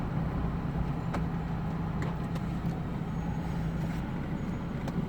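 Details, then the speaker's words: 1991 Mazda Miata NA 1.6 with about 155,000 miles and much track use, warming up: an even, steady low idle with no misses, stumbles or ticks, only faint outside clicks. It idles smoothly and healthy. "So yeah, I know it's a little annoying, but yeah, you see how smoothly it's running."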